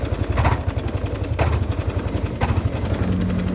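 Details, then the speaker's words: 2017 Yamaha NMAX scooter: coarse, lumpy low rumble with uneven shudder at steady revs, vibration felt through the whole body; broken CVT variator rollers. "ini kita coba starting ya getaran sampai ke body ini motor bergetar Oke suara kasar di bagian"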